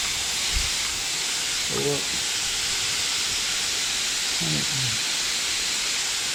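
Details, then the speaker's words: Pump-saver check valve on a T-bucket's mechanical fuel injection pump (gravity-fed from a rear fuel cell) under air pressure test: no leak at 90 psi, leaking by 100–120 psi; constant high-pitched hiss of air leaking past the seat. Supposed to be set at 150 psi. "That's 90 psi right there. It's not leaking. That's 100. It's leaking there. That's 120."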